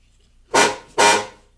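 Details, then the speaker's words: 1975 Jaguar XJ-S (V12) with Lucas electrics, sitting unused for years, key in accessory mode: two short, thin, buzzy honks; the horn works but sounds weak and terrible. "okay the horn actually works sounds terrible but it works"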